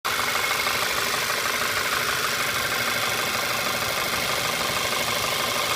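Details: VW Tiguan petrol engine at warm idle, oil not low: a sharp diesel-like clatter from the right-hand rear of the engine, audible in the cabin, only once warmed up. Engine knock; suggested causes are the N80 valve or a missing injector spacer.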